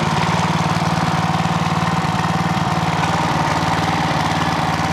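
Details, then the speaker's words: Clarke generator with Briggs and Stratton engine, after governor repair for over-voltage, low on fuel: steady, even low putter at one speed, no hunting or surging; governing properly, max rpm still to be set. "let's see if she'll run shall we that's about right that sounds pretty good"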